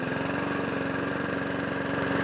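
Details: Mountfield HP42R mower after throttle cable box repair, new air filter, sharpened and balanced blade, started on choke: steady, even single-cylinder putter at constant speed with no misses or knocks.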